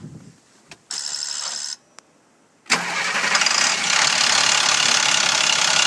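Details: 2007 International 4300 with DT466 diesel, cold winter no-start, plugged in overnight, crank sensor already replaced, water-in-fuel light: after short tries starter churns steadily but engine never catches; likely faulty injector harness or oil rail seals.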